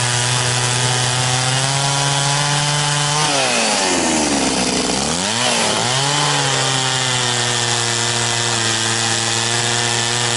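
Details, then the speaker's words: Very high-hour Echo CS-670 chainsaw cutting a log with a chain a bit slower than full chisel: high steady two-stroke scream dips as the chain bites, then recovers cleanly; pulls well, healthy. "does pretty good and like I said a little bit slower but it doesn't seem to stretch the chain quite as"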